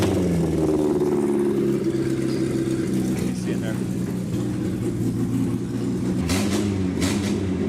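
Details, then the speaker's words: 1967 Austin Healey Sprite revived after years of neglect, carburetors just adjusted by hand: even engine note pulling smoothly while driving, clean throttle response, no misses or knocks; runs healthy. "that ain't really pretty good it sounds pretty darn good too"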